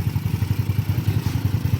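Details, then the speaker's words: Scooter engine first start after 59 stock to 63 (200cc) upgrade and oil cooler install, fixing an unidentified loud engine noise: even quick low thump at idle, about six or seven pulses a second, no knock or rattle; now very quiet, healthy. "Yun yun y natals ka pa yung mata ko korekta yun yun kalakas lakas dumura allr napakatahimik tahimik na sir Gelo"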